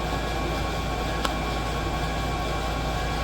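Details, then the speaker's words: xTool P3 80 W laser engraving at 900 mm/s real speed with its external exhaust fan running: steady, even rushing-air hum with no knocks or rattles, mostly fan noise, laser itself almost silent; normal fan operation. "The sound that you hear is mostly the external fan down there. Without the sound from that, the laser itself is almost silent."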